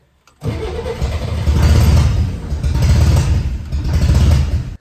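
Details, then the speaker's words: 1964 Chevrolet Corvair after freeing the stuck throttle butterfly and new gaskets: loud rough uneven starter churning, engine almost catching but not firing; exhaust fell off so louder than normal. "at this point it's so close to firing up"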